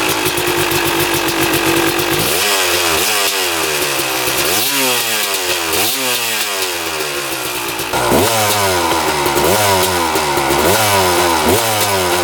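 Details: 1996 Kawasaki KX250 two-stroke after engine rebuild, testing power valves: crackly idle, then repeated sharp blips rising and falling cleanly with no bog, though it sounds like it may be running a bit lean; normal two-stroke running.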